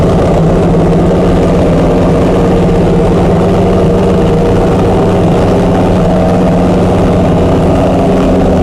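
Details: Chrysler 440 Six Pack V8 with triple two-barrel carburettors, after replacing a damaged centre-carb gasket beside the power valve: smooth, even idle with a steady low rumble and no misses, knocks or stumbles; running healthy.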